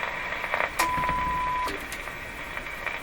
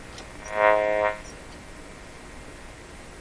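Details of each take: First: Philco 38-C7 tube radio during IF transformer alignment, fed a weak test signal after calibration: a faint steady tone over soft hiss for about a second, then fades; the set still picks up weak signals, working well. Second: Philco 38-C7 tube radio before IF alignment: short whistling tone bursts every couple of seconds, one sweeping upward, as it hears a sweep ending at 500 kHz, off its dial; owner suspects the dial is so far off it tunes into its own IF range.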